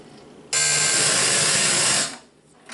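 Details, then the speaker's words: TEAC PD-800M 6-CD changer, early 1990s, not MP3-compatible: a sudden loud hiss-like roar for about 1.5 seconds when it tries to play disc 4, an MP3 disc; noise from an incompatible MP3 disc. "Disculpen ustedes por el horrible sonido, pero es lo que acabo de decir, no es compatible."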